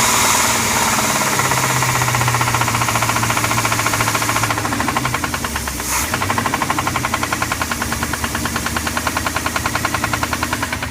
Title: 1990 454 Crusader rod knock